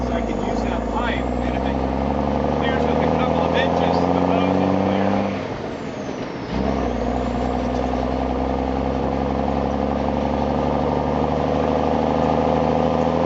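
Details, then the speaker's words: M35A2 deuce and a half diesel driving under load after fitting an AeroTurbine 3535XL muffler, around 1,200–1,300 rpm: deep steady drone rising and dipping with revs, throaty growl, no turbo whistle; exhaust healthy. "yeah I heard about 12300 RPM you can hear that like knat growl"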